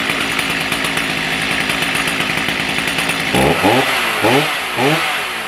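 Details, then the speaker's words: Stihl MS310 chainsaw, warm following ignition coil/gap repair (previously died after about 2 minutes when hot); crisp, even two-stroke buzz holds steady, then three clean throttle blips rev up and settle; normal running. "Okay, she's been running for probably 10-15 minutes. We're sitting at idle."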